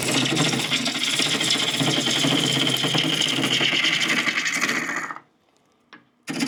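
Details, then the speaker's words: Wood lathe roughing deep ambrosia maple bowls with 50° fingernail gouge: fast, uneven rattling chatter about four a second under the cutting noise, stopping with the cut; tailstock not tightened down, loose and letting vibration rock the lathe. "you can really hear my tail stck rattling back there I don't have a tighten down and when it's loose like that I have any vibration in my lathe man it really rock and rolls back there"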